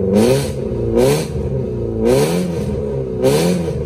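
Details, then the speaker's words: VW GTI with a loud exhaust: four sharp throttle blips, and after each the revs fall slowly and hang above a normal idle; the owner suspects the throttle body or its sensor needs tapping or replacement, unconfirmed. "and she's still holding her rpms up which is annoying that's why i don't drive her right now because she's uh i need to either tap the throttle body or get a new one"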